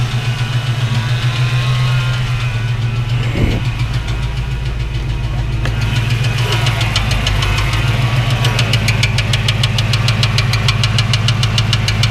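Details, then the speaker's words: 1989 Ford Mustang GT foxbody; since the starter stayed cranking from a stuck solenoid, light rhythmic scrape about three times a second, faster later, from flexplate area; owner suspects starter or flywheel touching block plate; scraping noise at idle. "i don't know if it's a starter problem or if my flywheel is touching the the block plate but the sound is worrisome"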